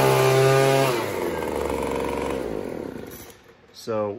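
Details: Craftsman 25cc two-stroke blower that bogged down on trigger squeeze, after turning the D-shaped carburetor adjustment screw counterclockwise: revs up cleanly to a high, steady scream, then winds down smoothly with no bogging or stumbling; normal revving.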